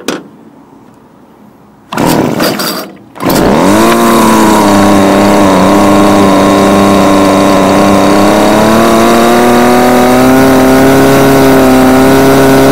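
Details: Homelite UT20042A string trimmer from a scrap lot, previously non-starting, after replacing the carburetor (C1U-H60) and tuning it: catches on the pull, then a clean rising buzz climbing and holding steady at high revs; normal running.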